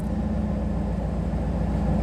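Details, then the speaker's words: Chevrolet Camaro IROC-Z idling with the OBD1 scan tool plugged back in, which puts the GM ECM into service mode: steady idle slowly creeping up past 900-925 rpm; high idle caused by the scan tool. "all right just plug the tool back in and it's starting to pick up the speed again it takes it a minute"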